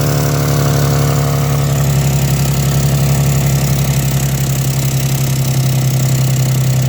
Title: exhaust leak 1